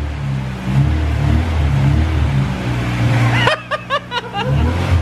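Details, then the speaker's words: Honda Civic EG6 starting for first time in two years, jacked up with wheels off the ground, in gear: steady low rumble with a few throttle blips before cutting out; fires evenly, no knocks. "3, 2, 1. It works! The Civic fucking works! Boys."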